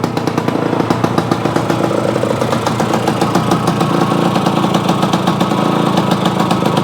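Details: Yamaha AT-1 converted to CT-1, first start-up after rewiring, oil pump priming and carburetor fix, choke on, pre-mix fuel plus oil pump; crisp, even two-stroke popping at steady idle, no misses or hunting, normal.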